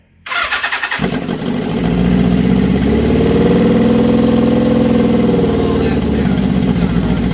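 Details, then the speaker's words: 1979 Suzuki GS750 with freshly rebuilt carbs, first start after over a year on full choke: it cranks briefly, fires and climbs to a fast, even idle that holds steady, a normal clean cold start. "All right, I'll put it on full choke. Nerve-wracking, man. Come on, Susie, fire."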